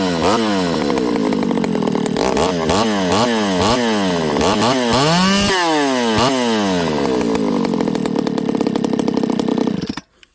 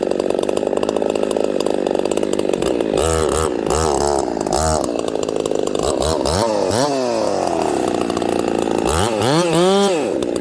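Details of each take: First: Ported Homelite 922 chainsaw after clutch and fuel line fix and cooler heat-range plug, restart with idle up, no choke: sharp snap-up through repeated throttle blips, slightly thin scream at top; high jet deliberately set slightly lean, slight loss of pull. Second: Ported Homelite 922 chainsaw after clutch and fuel line repair and a cooler heat range plug, restarted hot; fires and settles, then snaps cleanly up and down through repeated throttle blips in the cut with no bogging; normal running.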